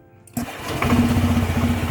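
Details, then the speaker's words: Honda Vario 125/150 with a modified open air filter, cold start after sitting overnight: engine catches and runs lumpy and uneven before picking up; owner suspects too much intake air, maybe needing injector setting. "soalnya rada beda itu agak-agak ngopi dulu kita gede langsung responsif langsung gede"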